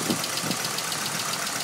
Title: sr20det silvia s15 ticking noise